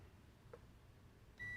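Quiet room, then a sudden steady high-pitched beep that holds; the meter shows continuity, so the ground connection is good.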